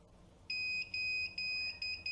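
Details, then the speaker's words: Scout DVR with no display or recording: shrill high beeps repeating in quick bursts, about two a second, as it finally shows display on the same adapter but keeps beeping; underpowered power adapter. "ये इतनी देर के बाद इसने उसी अडाप्टर पे डिस्प्ले दे दिया है, लेकिन ये मुसलसल बीप कर रहा है। ये ठीक है जी, ये इसी तरह मुसलसल इसको बीप करता रहेगा, हर 1 से 2 सेकंड 3 सेकंड के बाद ये इसने यही करना है जी।"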